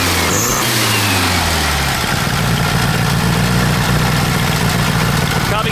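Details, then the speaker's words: VW Super Beetle air-cooled flat-four on a cold start with no choke, after a wet distributor cap was fixed: an uneven, lumpy idle with a stumble every few turns. Cylinder four is suspected of not firing; swapping the spark plug wires on three and four is the next check. "to adjust the idle that don't sound right i still don't think number three is firing correctly now i'm sorry not number three number four number four"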